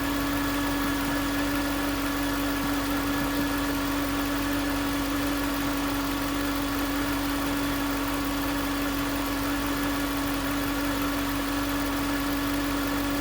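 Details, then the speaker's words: 2009 Range Rover Supercharged 4.2: constant piercing whine over quiet idle; mechanic's stethoscope on the alternator housing showed the whine comes from the alternator, no engine codes found; alternator replaced. "It was obvious that that's where the whine was coming from."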